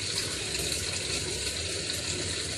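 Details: Samsung WA85G top-load washer after replacing the faulty pressure switch that let it overfill without cutting water: steady, uninterrupted rush of water filling at the lowest level; it then shut off and spun, a normal fill.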